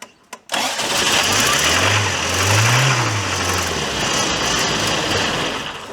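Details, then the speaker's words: Toyota 4Runner left sitting 10 years: after a hammer tap it catches and runs roughly for a few seconds with wavering revs but won't stay running. No oil pressure shown (gauge may be broken), and the fuel filter is mounted incorrectly. "I'm in complete disbelief that that worked. It's not staying running and that doesn't surprise me."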